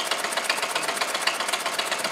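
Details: Homemade solenoid motor built from a weed-whacker (brush cutter) crank, case and flywheel, permanent magnet moving in the barrel, oiled, running at very low RPM: fast, even, tinny clatter of about nine beats a second.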